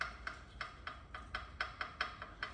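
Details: Van front suspension, loose part shaken by hand: sharp hollow clacks, three or four a second, cowbell-like rattle that has persisted for months; owner first suspected the backing plate, source not confirmed; a damaged airline was found nearby.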